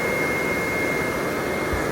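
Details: Replacement blower motor in an RV furnace, bench-tested on battery power; the old motor barely started and could not push the sail switch. A steady, even whoosh of air with a constant faint high tone and no rubbing. The new motor runs smoothly and strongly.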